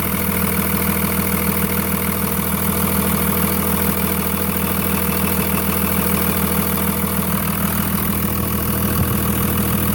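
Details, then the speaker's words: Cummins diesel at steady idle with a faint regular tap about three times a second under the clatter, a top-end knock traced to cylinder four by stethoscope; cracking that injector line made no difference. Owner worries it is a piston pin. "all right not sure if you're able to hear it but there's a knocking sound of there and now I'm gonna kind of worried that it's a piston pin"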